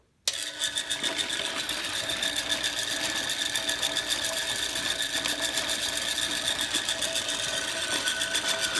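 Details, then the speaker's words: Chicago Electric dual-drum rotary rock tumbler running: steady, busy mechanical whir with fast rattling ticks about four per second; noise comes from the motor and drive mechanism, not the rock canister. "i can pick this up at any time and you as you can see a lot of the sound is from the motor and the mechanism not so much the rock canister"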